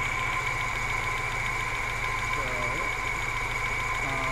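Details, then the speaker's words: 1991 Moskvitch IZH 412, near operating temperature, microphone at the engine, good oil pressure: smooth steady hum held just above idle with no knocks or misses; a healthy running engine. "very nice and uh smooth running idle we're gonna give it a little bit of rpm"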